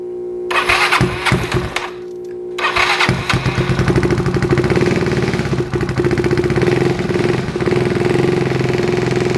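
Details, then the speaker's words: Yamaha Zuma 158cc big bore kit, first test start after rebuild with new piston rings and timing chain, low battery on jump start: catches after cranking, then slow lumpy idle threatening to die, needs throttle held; idle too low. "okay so it sounds like it's running but the idle is really low i have to hold it a little bit i wonder if it needs to warm up or something"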